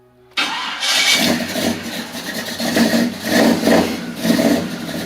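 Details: Small-block Chevy V8 with HEI distributor, setting timing: cranks, catches and settles into a lumpy, uneven, lazy loping idle; timing still retarded and wants more advance, distributor possibly one tooth off.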